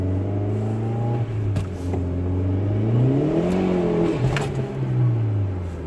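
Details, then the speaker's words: Mitsubishi Lancer Evolution VI (freshly imported JDM): under full throttle in third gear the revs climb sharply without pulling, then drop back as the clutch grips and drive resumes; clutch slip now working down the gears, fine when driven gently. "I'll give it a little bit, let it build, and then as soon as I floor it, it's just the revs going up, and then you can see the revs drop back down as the clutch grips, and then it kicks back in and you can go."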